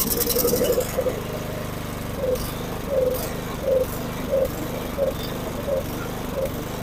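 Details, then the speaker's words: Snow blower small engine surges and sags about every two-thirds of a second instead of holding speed; it gets some fuel but not enough, running lean from carburettor fuel starvation before the carburettor is cleaned. "It's just straight up not getting fuel somehow. And it's because something in the carburetor."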